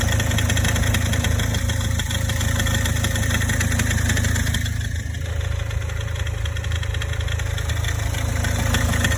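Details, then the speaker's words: Toyota Corolla E150, cold start idle, heard loudest near the front passenger-side wheel: fast, fairly even ticking about three per second, like an alternator bearing, lasting 1–3 minutes; belt tensioner pulley rattling under alternator load. "Особенно хорошо это было слышно возле правого переднего колеса с пассажирской стороны. Звук цоканья, как будто подшипник генератора гремит."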